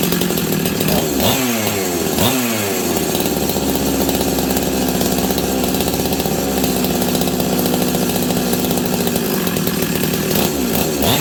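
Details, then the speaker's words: Husqvarna 385 chainsaw, sat on a shelf for years, first start: it howls near full throttle with sudden dips and climbs in revs. The clutch expanded and grabbed the chain brake. Owner suspects an air leak causing the hunting speed. "so the the clutch was expanding and actually grabbing the Chain Break um I think this saw has an air leak"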